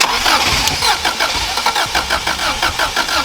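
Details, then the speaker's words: Classic Subaru Impreza WRX STI, keys lost, hotwired after sitting since 2010: steady cranking about three beats a second, no firing; spark good and fuel pump delivering, but injectors not firing. "but the spark's good it's just not firing the fuel see if it was immobilized i would say the fuel pump wouldn't fire yeah so fuel pumps firing the fuel at the fuel rail so it's as if it's not firing the injectors"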